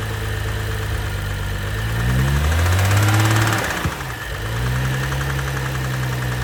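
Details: 2012 BMW 135i M Sport (F20/F21), N55 3.0 L petrol, 306 PS, 99,000 km: steady low knock about three times a second at idle, holding through a brief rev dip; engine bearing damage knock.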